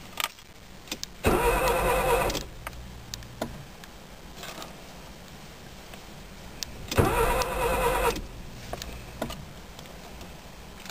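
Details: 1995 Nissan Micra 1.0 55 HP, won't start; two roughly one-second bursts of steady starter cranking with no catch; cranks but won't fire.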